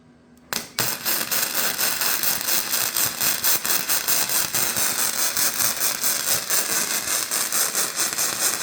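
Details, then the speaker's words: VEVOR MIG 145 welder on quarter-inch steel at 145 amps and 22.5 volts: uneven, surging crackle bursts; welder suspects the voltage is too high and plans to drop back to about 18. "okay so that sounded really inconsistent I think we might have been running too high of voltage for this setup"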